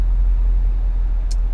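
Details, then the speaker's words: Subaru Forester XT after suspension work, driven over rough roads: steady low road rumble with no pops or clunks, suspension quiet and soft; earlier popping when turning blamed on a suspected inner tie rod. "so far I hear nothing it's nice and soft"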